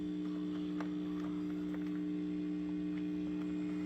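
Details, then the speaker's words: Original cocktail table, probably an Asteroids Deluxe, after running a new ground to the board ground, removing old ground and cleaning the spot: steady low buzz remains but far quieter; sound still cuts out; residual ground loop hum. "Anyways, yeah, it is a lot cleaner. I mean, the buzz is still there, but it's not nowhere near as loud."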